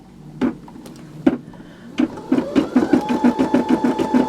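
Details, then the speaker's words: Brother SE625 embroidery machine with tension reset to original: after a few slow stitches the needle settles into an even, quick clatter of about three ticks a second, with a slight hiccup from a knot on the back; stitching normal. "Okay, that is better. I did put it back to the original tension that embroidery is supposed to be."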